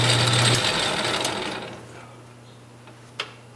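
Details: Craftsman 6-inch lathe running in back gear: busy, ratchety gear clatter fading as it spins down; source unclear, not the handle, well oiled, owner thinks it may just need running in.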